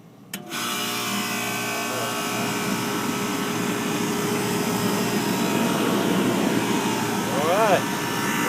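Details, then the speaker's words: HVAC condenser unit serving an overheated computer room, after fitting a new condenser fan motor and blade: fan starts quickly and settles into a loud steady even hum; normal operation, louder than a Mitsubishi unit. "I mean I can hear the expower motor out here I mean it's just right there"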